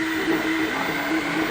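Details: Flashforge Finder Lite 3D printer on its first print, extruder at 215°C. Steady airy cooling-fan hiss, fairly loud, with faint stepper tones underneath. Normal printing with cooling fan.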